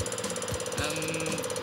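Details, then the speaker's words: Diesel injector on a test bench, about 1,000 injections per minute: slight buzzing shows the solenoid working, then fast even ticking chatter as pressure rises; injector opens around 100–110 as expected, normal. "you'll hear a slight buzzing from the injector that means the soleno is working"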